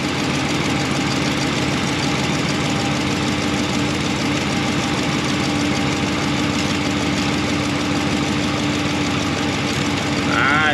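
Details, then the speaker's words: Ram 1500 5.7 V8 with BBK shorty headers, restarted after tightening collector bolts: steady idle with constant fine raspy ticking, still leaking a lot at header collector; clamp to be adjusted. "okay let's see if that steals this thing up or not restarting the engine and it still leaked a lot of delta right there"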